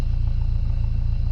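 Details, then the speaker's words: Dodge Neon about 45 seconds after starting: steady even low idle, smooth pulse, no ticking; now totally fine, normal idle. "now that it's run for you know 45 seconds it's it's totally fine"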